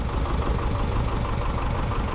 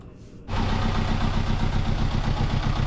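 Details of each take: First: Sailboat diesel idling steadily with no knocking, but the temperature alarm showed the heat exchanger running hot and water flow was weak; overheating, owner suspects a broken raw-water impeller, unconfirmed. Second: Sailboat diesel engine that had overheated, after new impeller fitted with handmade bicycle-tube gasket: catches at once and settles into a steady, even beat near four pulses a second with water circulating; clean, normal start and idle.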